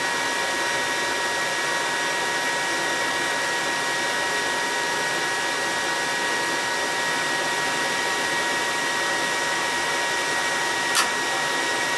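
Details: Attic gas furnace serving a non-working second floor, running after thermostat red and white wires were jumped: steady even air rush with a faint constant hum, no rattles or surging, so normal operation. The thermostat is suspected bad.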